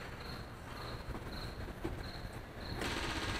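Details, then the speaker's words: Gehl 3510 with fresh fuel, key on, engine off before first start; light high-pitched clicking about four a second as the electric fuel pump primes and picks up fuel pressure normally. "You can hear it clicking there. And there it picked up fuel pressure."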